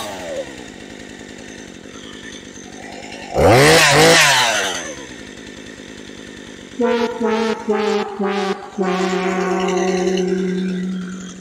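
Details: Husqvarna 435 chainsaw, idle speed already set correctly: buzzy idle between short revs that drop back quickly, chain still spinning at idle; cleaning the clutch did not fix it, pointing to a worn centrifugal clutch.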